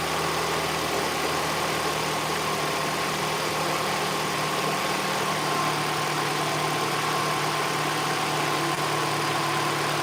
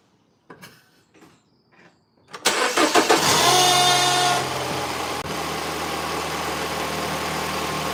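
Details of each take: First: Mini Cooper R56 engine warmed up, after a loud noise heard only at start-up (still undiagnosed): steady, even smooth idle with no knocks or rattles; running normally. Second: Mini Cooper R56, engine started: some clicks, then it catches with a loud, rattly flare and a brief whistle that dies after two seconds, leaving a smooth idle; known start-up noise, not yet diagnosed.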